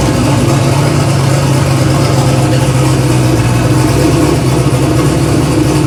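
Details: Engine after a full bearing replacement, pan refilled with oil, first start to check oil pressure: catches and settles into a steady, even low idle with no knocking or ticking riding over it.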